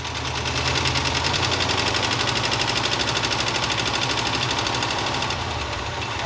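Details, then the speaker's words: 1969 Ford F-250 with a believed 390 FE V8, sitting 21 years, with exhaust straight out of the muffler, fuel supply faltering. Fast light tick about three per second over a rough idle; judged not an exhaust leak, likely a lifter. "Oh yeah, that is not an exhaust leak."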